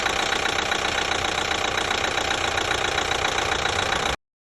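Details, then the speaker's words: 2012 Chevy Equinox 2.4L after a new timing chain (worn guide had left metal shavings) and fresh oil: silent when cold, but a fast steady tick appears at idle once warm; sounds like the brand-new high-pressure fuel pump but isn't, cause unknown. "as soon as it starts warming up i get this [Applause] almost sounds like the high pressure fuel pump is making the noise but it's not it's actually a brand new pump"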